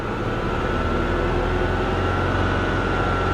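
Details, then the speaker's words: 2023 Corvette C8 1LT V8 at 78,721 miles: an uneven, stumbling idle with a lumpy low beat, misfiring badly though it seems to clear at some RPM; owner suspects fuel injection or low compression, or maybe just needs a tune-up. "it feels like it clears up it's definitely misfiring pretty pretty bad"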